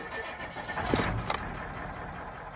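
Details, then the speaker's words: 362,000-mile Ford 7.3 Powerstroke OBS diesel started right after a fuel pressure spring upgrade and new air filter; idle previously bounced 600–800 rpm; quick crank, catches at once, steady even idle with no hunting, normal start and idle. "It would just sit there and bounce. Right now, wow, it is not moving. That is some good fuel pressure."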